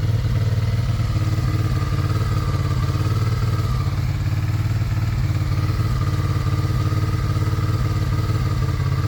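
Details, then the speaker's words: Abandoned Suzuki SV650S V-twin revived after years unrun, after the cam chain tensioner was adjusted (suspected slack): steady, even, lumpy idle with no knocking; normal idle. "but it sounds like it's all Right. So, Seth adjusted the cam chain tensioner. Could have had some slack in it. It's idling great."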